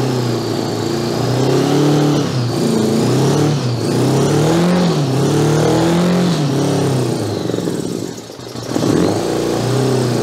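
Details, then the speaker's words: 1982 Honda GL1100 Goldwing four-cylinder, stored over 12 years: uneven, surging run with wandering pitch as the throttles are forced partly open. Gummed carburetors, only a couple of cylinders firing. "Now the carburetors are so gummed up, we can't open the throttles. Got a couple of cylinders anyway. Means the rest of them will probably come around."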